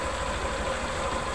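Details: 2010 Honda Fan 125 converted to 150cc after a connecting-rod noise repair, with original head, exhaust and carburetor. Short, steady idle with an even low beat and no knocking or rattle. Normal idle.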